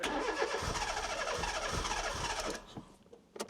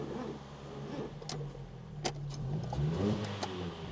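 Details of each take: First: 1996 Fiat Cinquecento Sporting, 26,000 miles, abandoned seven years, started on sprayed fuel with no fuel pump working: small four-cylinder runs briefly with a clean rev then dies; sounds healthy, needs a new fuel pump. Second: 1996 Fiat Cinquecento Sporting, 26,000 miles, abandoned seven years: sluggish uneven cranking with scattered clicks that never catches; no fuel pump can be heard running, and the battery sounds too weak.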